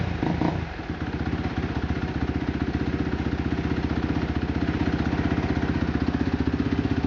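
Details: Kawasaki KX250F race bike with a Vortex X10 ECU on map setting 2-3-3: the single cylinder settles into a crisp, even idle at about four pulses a second after starting, no misfires; normal idle.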